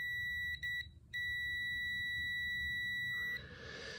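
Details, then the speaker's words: Midea chest freezer thermostat continuity test: the old thermostat gives no tone; the new one gives a steady high-pitched multimeter beep held for seconds. Old thermostat confirmed bad. Multimeter continuity beep. "continuity check again here's the old one nothing there we go and we have continuity"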